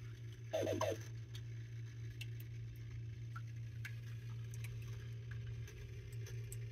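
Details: Catit Smart pet fountain, under warranty: low steady pump hum with irregular light ticks and rattles; noise returned louder after once going away on its own.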